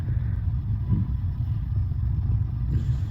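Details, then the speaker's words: Bradford White gas water heater, being reset after the pilot was lit and the status light turned green: low, even rumbling roar with no pops or flutter; the burner lit and is running normally. "Did you hear that? Kinda gas on ayindi. Yeah, I think it started."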